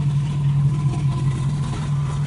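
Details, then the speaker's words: Honda CB350F four-cylinder after cam chain adjustment, restarted after being readjusted: steady, even idle with smooth low hum, earlier cam-chain whine gone; exhaust and breather smoking, owner suspects rings not yet seated after rebuild. "it's not making the noise anymore so i'll start it up here in red for you guys and show you what's going on in the back here all right so really it starts up pretty well yeah it did pretty good"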